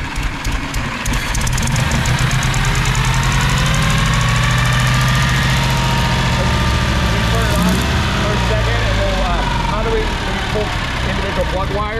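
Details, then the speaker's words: 1922 Bentley 3 litre OHC inline four with dual magnetos and twin SU carburetors, misfiring under load at times: lumpy idle with a beat dropping out, firing on only three cylinders, running rich; a fouled plug is suspected. "my thought just based on here it sounds like it's only run on three and i don't know if i just foul the plug because it seems like it's running pretty rich"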